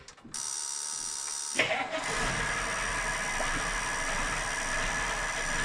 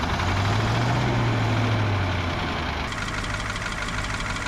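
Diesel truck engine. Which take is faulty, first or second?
second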